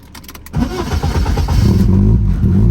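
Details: BMW E36 with M42 engine, crank-no-start fixed (loose ECU pins, EWS deleted), hot restart after long drive and parking: brief crank, catches at once, settles into steady, even idle; normal hot start.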